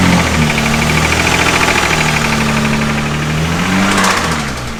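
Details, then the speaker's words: Nissan 350Z after engine swap, questionable replacement motor that initially had no oil pressure and now has it but still sounds bad: heavy uneven metallic knock about three per second over idle, changing with revs; serious internal knock. "It definitely has oil pressure now, but it still doesn't sound great. Don't really know where we're at."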